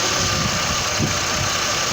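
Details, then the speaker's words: 2006 Chevrolet Trailblazer 4.2 Vortec idling: dull irregular knock under a heavy hiss; cause still undiagnosed. "have a 2006 number trouble is a 4.2 vortech some knocking going on not quite sure we're trying to diagnose it"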